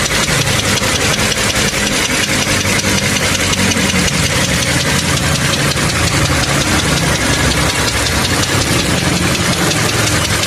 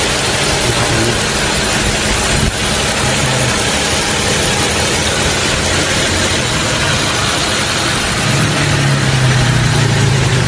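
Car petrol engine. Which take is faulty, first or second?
first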